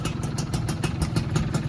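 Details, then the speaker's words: Rarely used, 90% original 2001 Yamaha F1Z-R Caltex two-stroke: quick, steady exhaust popping at idle, evenly spaced with no misfires or rattle, then a small throttle blip; healthy engine. "Nah, ini untuk suara mesinnya. Ini suara knalpotnya. Nah, coba saya gas sedikit. Mantap suaranya."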